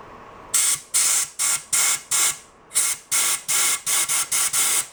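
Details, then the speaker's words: Barn-find 1949 Atlas Royal 1.5 hp outboard, compressed air blown through the cooling water passage after clearing crud: a dozen short sharp hissing bursts pass straight through without choking or gurgling; passage is open. "sounds like it's got a pretty open passage trying to figure out a better way to shoot air into that can we like that that sounds like it's passing through somewhere and shooting out there"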